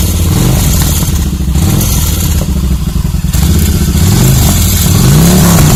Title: VN1500 First firing after rebuild